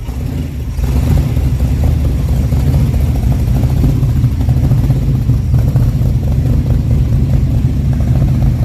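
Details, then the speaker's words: Replacement Time Bomb Racing 283 small-block V8, built after the last engine came apart on Ice Bowl practice day, at first start: catches within a second, then a loud, even, rumbling run with no knock or miss; normal running. "Let's fire it up and see what we're working with. If this thing will run, let's go. It's alive."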